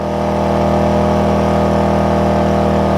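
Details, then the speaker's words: AIVolt 1600 W inverter generator under 800 W load charging an OSCAL power station, about 2 feet away, 73-75 dB: loud even steady hum, constant low tone, no knocks or misses; output 121 V clean sine wave; healthy. "still looking at between like 73 and 75 decibels, which is kind of like having a vacuum cleaner running."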